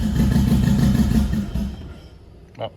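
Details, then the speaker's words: Freshly built 10k-rpm MR16 engine, first start after replacing the cam sensor to fix cam sync: throttle held open by hand, runs with an uneven, lumpy beat and unsteady pulses, then stalls; rough running, idle not yet set. "sounds like crap but it's running"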